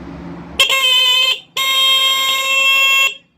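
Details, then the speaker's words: Motorcycle horn after adjustment and tightening of its 10 mm nut: two strong, clear, steady high-pitched blasts with no rattle or wavering; horn now loud and properly adjusted. "दोस्तों हमारा हारन बहुत ही ज़बरदस्त इसकी एडजस्टमेंट हो गई है।"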